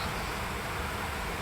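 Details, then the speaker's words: HP Envy 15-ep0008na 2020 laptop under video editing load, loud cooling fan: a steady, airy, hard rush with no rhythm or grinding, loud enough to interfere with sound quality. "the sound is quite high can you see can you hear it it's a fan very high fan it will also interfere with the quality of the sound"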